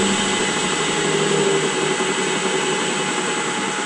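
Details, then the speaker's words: Rockwell horizontal mill on a VFD, about 24 degrees outside: steady high whine with a faint uneven rattle while the head spins; noise from the head, more heard than felt, cause unconfirmed. "you can hear that in the head it sounds like sounds like it sounds more than feels like the frontman running at will"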